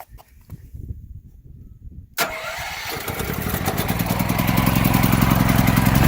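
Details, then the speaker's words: Firman T07571 generator, started with a little choke after a recent run: quiet, then the engine catches sharply and builds into an even, steady rumble; running normally before household load is applied. "Okay, back at the load center. I don't know if you can hear it, but generator's going."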